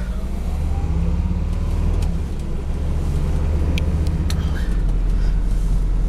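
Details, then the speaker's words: 1980 Mercedes 300 CD turbo diesel coupe, warmed up, pulling away: steady diesel drone winds up smoothly, then drops cleanly into next gear without slip, flare or clunk. Normal acceleration and upshift. "The shift's nice, winds up nice."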